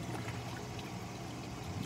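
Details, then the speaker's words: Clear Water Scrubbers CW-50 scrubber after install was modified to run quieter: soft, steady bubbling of the outflow stream with no gulping or sucking gurgle; normal, quiet drain flow. "hear any gurgling from scrubber the only thing that I hear now is this water that's bubbling you know if I if I raise this up out of the water you can see the stream of water that's coming out of the pipe right here"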